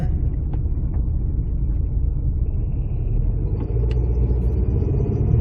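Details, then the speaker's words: 2006-2012 Ford Fusion 2WD, rear wheel bearing almost totally shot: a loud, low, steady droning hum under road noise while cruising at speed, with no knocking. A less worn bearing makes the same noise, only quieter. "That's bad. But that's what it's going to sound like once it gets bad enough back there where the bearing is almost totally shot."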